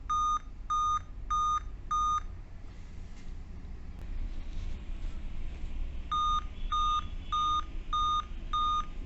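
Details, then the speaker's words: Dell Vostro 2520 laptop (DV15 MLK MB 11280-1 board) at power-on: repeating groups of five short high beeps, continuous even with date and time set correctly. This is the five-beep code for an RTC fault in the RTC section / PCH RTC of the chipset. "तब सिला जाता है है कि यह पांचवीं बार बार बचती रहती है वह भी कंटीन्यूसली अ"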